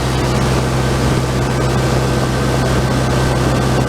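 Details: Generator engine with replacement oil-bath air cleaner and exhaust elbow, carburetor cleaned and float readjusted, output adjusted to 120 V AC, water temperature under 100 degrees: loud steady drone, even firing, running fast at over 63 amps, so the governor needs turning down.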